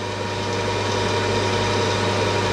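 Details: Home workshop lathe making a cut after chatter was solved: steady, even machine hum with a low drone and faint steady tones, no chatter or squeal.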